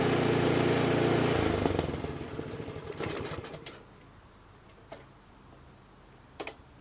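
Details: 24-inch snowblower that sat two years, suspected dirty carburetor: small engine putters evenly for a second or so, then is shut off and winds down, leaving a few handling clicks.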